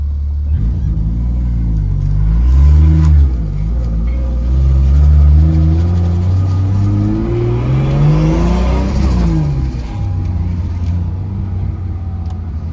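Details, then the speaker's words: 2004 Lexus IS300, turbocharged and 6-speed swapped, transmission supposedly about 130,000 miles, driving with traction control off: engine pulls hard through gears with steady whine rising and falling with road speed; loud gearbox but shifts great, never grinds. "So you will hear a lot of whining from this transmission, and that's because this transmission is just a little loud."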